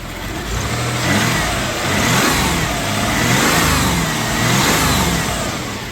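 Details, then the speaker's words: 1991 Dodge Caravan with transplanted 3.0 engine, first run after 19+ years, burning off fluids, slight exhaust smoke and condensation: engine swells and falls through several smooth revs, slightly hesitant but clean, no knocks or misses. "Little kind of hesitant, but it revs up. All right. What do you think? >> Sounds good so far. >> That sounds really good."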